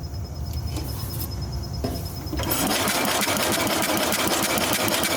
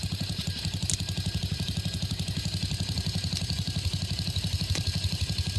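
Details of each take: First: 1966 Simplicity Sovereign lawn and garden tractor with Briggs points engine: starter spins it at an even chatter of about three beats a second with no firing; points not closing/actuating properly, giving no spark. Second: Circa-1966 Simplicity Sovereign garden tractor, Briggs single-cylinder points engine, running on its existing coil: slow, even firing pulses about four per second with a steady low thump. Normal low idle, though a head gasket leak is suspected.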